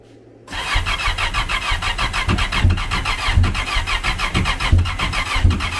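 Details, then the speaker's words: Supercharged SVHO jet ski engine with a compound Garrett G42-1450 turbo, a 1000 hp project: starter churns with uneven firing pops but it never catches; it seems to lack compression, yet the turbo already spins while cranking. "Are you wanting to start It looks like the engine is wanting compression"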